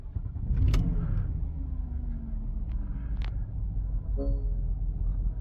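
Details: Porsche Panamera S returned from dealer recall unrepaired: deep, uneven loping, stumbling idle with misfiring; engine out of time from loose timing chain, long crank and rough running.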